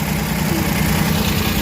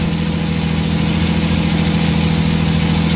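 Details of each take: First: Suzuki mini van DA63/DA64 with K6A engine, being fixed for vibration at idle with the aircon on: with the idle-up checked and the aircon switched on, the small petrol engine idles evenly with no shaking or stumble. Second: Suzuki mini van DA63/DA64 with K6A engine idling with the air-conditioning on: a low, labouring uneven idle that sags instead of picking up. The throttle position sensor gives no steady voltage.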